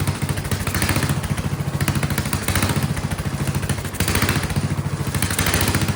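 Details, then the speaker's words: Vintage Kohler motorhome generator, big flathead single-cylinder (guessed 400–500 cc), after removing the spring under the carburetor float, running a shop vac as load: loud, even thump with slight slow swell, holding speed; load stops surging. Owner still suspects fuel delivery. "I'm gonna put some load on it. And then it seems to also, that makes it stop surging, it seems. It is loud though."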